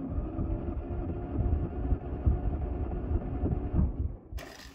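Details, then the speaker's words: Towed-in classic Mini Mk III 998cc, crank-no-start with smoking, during compression test at high altitude: steady, even cranking beat with no stumble; compression about 115 psi on cylinders 1–2, 125 and nearly 130 on 3–4, healthy. "all right so this seems okay it's a little low on cylinders one and two but across the board they all seem to have good compression numbers"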